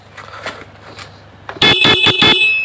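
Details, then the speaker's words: Honda Click 110 carbureted scooter with a dead electrical system, ignition switch bypassed with a jumper wire: four quick loud blasts of a high buzzy horn, so the horn works normally and the key switch is suspected faulty. "อ่าผมจะบีบแตก่อนนะโอเคนะครับแตมาแล้วนะครับ"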